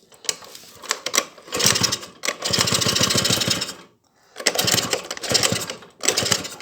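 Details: Honda Dio scooter two-stroke after carburetor flooding and no-idle problems, following new crank seals and a rebuilt piston set, with fuel-hose pressure reduced: crisp buzzy rasp rising and falling with blips, picking up cleanly; runs properly.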